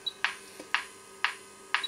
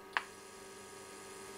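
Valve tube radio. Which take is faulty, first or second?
second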